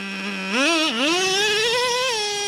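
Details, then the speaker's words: Traxxas Revo 3.3 nitro engine, final tune after break-in, warmed up: steady high idle without creeping, rising smoothly on a throttle blip and settling back evenly; healthy tune. "there second gear it's real smooth shifting let's listen for it [Music] so Idols without creeping"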